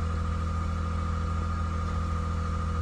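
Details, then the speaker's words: Car with 168k miles, airbag/SRS lights on: steady, even low idle with constant hum, no knocks or misses. Normal idle. "but man look at this bro this was cool damn it sound good"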